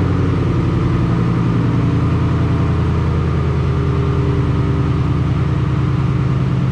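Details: Ford Mustang GT V8 with cold air intake, Kooks long tube headers, high-flow cats and Roush muffler deletes, before cam, intake and throttle body install, idling in garage: deep, even burble with steady loping beat, no misses or knocks.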